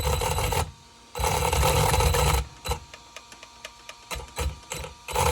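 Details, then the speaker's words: Brushless motor in a 2WD ARRMA Senton RC car, bench test after swapping red and blue motor wires and trimming; harsh rattly gritty whirring bursts when throttled, ESC flashing, smoke appearing; owner suspects failed motor bearings. "So I'm hearing a lot of grinding, and now I'm starting to see some smoke. I don't know if you guys can see that too. Yeah. Something's going on inside of this motor, and I'm pretty sure it might be the bearings."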